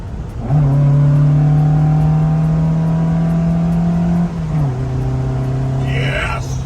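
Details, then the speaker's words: 1979 Fiat 124 Sport Spider 2000 on dual 44 IDF carburettors after synchronising, idle adjustment and timing tweaks that cured popping: strong rising note through two gears, clean pulls without misfire; normal acceleration. "but I ended up just messing with the timing a little bit more twisting on it a little bit more all my ear and and now it is running like a scalded dog"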